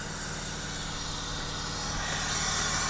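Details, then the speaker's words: 2010 Jeep Cherokee V6, running rough and no-start, leak-down test at about 80–90 psi with the engine stopped and both valves supposed to be closed: a steady hiss at the intake/throttle body means the intake valve is not sealing. "now we know both our valve should be closed but straight away i can hear the hissing coming from the intake area"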